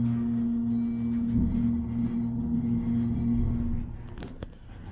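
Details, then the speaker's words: Schindler (originally Dover) hydraulic parking elevator: steady low pump motor hum for about four seconds then dropping away, sounding labored; suspected low on oil, not confirmed. "Sounds like we might be low on oil soon."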